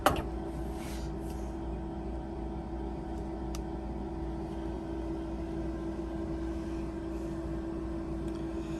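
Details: Lab incubator shaker running at 200 RPM and 37 degrees with a taped-cap 400 mL bottle of LB broth inoculated with XL1-Blue cells: quiet, even hum with a steady mid tone, no knocking or rattle; running smoothly.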